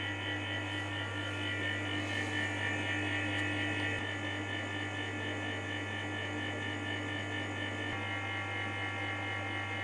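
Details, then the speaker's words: MAX BS-141H-2 bathroom dryer fan, made in 2014 and used about 8 years. Steady buzzing whirr with a low hum, caused by a worn bearing on the fan shaft; the noise is audible even turning it by hand. Fixed by bearing replacement. "The cause of the noise is the bearing in the fan shaft You can hear the sound even if you turn it by hand"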